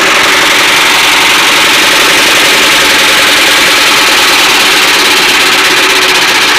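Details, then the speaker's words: Single-cylinder air-cooled diesel after a liner rebuild, filled with 3.5 L of new oil. A quick light ticking from the timing chain cover is heard over the loud idle. It was said to be no problem and has reduced since starting. "चैन कवर में थोड़ा सा आवाज़ आ रही है तो कोई दिक्कत नहीं, जब स्टार्ट हो जाएगा तब सही हो जाएगा।"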